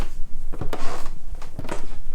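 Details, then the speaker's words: Squeaky wooden stairs: each footstep gives a short, high creaking squeak as the tread takes weight. Screw-in fixes had already failed, and the stairs turn out to have no stringer, so the treads need reinforcing from underneath. "You can hear how lovely and squeaky those stairs are, huh? Squeak, squeak, squeak, squeak, squeak."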